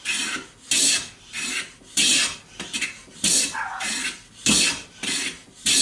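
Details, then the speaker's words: Stanley No. 6 hand plane with new handle and knob: regular rasping strokes just under one a second, each a crisp even hiss with no chatter, taking clean shavings. "look at those beautiful beautiful shavings"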